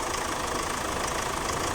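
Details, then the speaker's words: 2014 Chevrolet Captiva diesel with low power, long cranking and white smoke: lumpy uneven idle with occasional stumble; misfire traced to number one injector with the highest back leak. "long cranking din white smoke Tingan natin yung back pinakamataas pinakamalakas nagb tapos Miss fire yon ang lapas"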